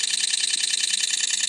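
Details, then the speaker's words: iPhone 8, under a month old, after taking a photo: fast, even, high-pitched clicks about ten per second like a camera shutter firing over and over; shutter sound stuck repeating, cause unknown, stopped by taking another picture. "It's still clicking. It sounds like a shutter on a camera going over and over and over again."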